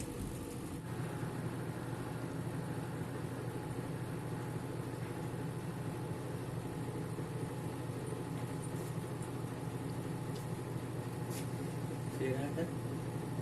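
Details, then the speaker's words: Turbo Drum 3 washing machine, 8.5 kg, after reassembly with the belt refitted (earlier it shook and vibrated excessively on spin); spin cycle now at full speed, steady low even hum with no knocking, running smooth and balanced. "esperar que saque el agua y arranque el ciclo de centrifugado para mirar la diferencia en movimiento bien notamos que aquí ya va a toda velocidad"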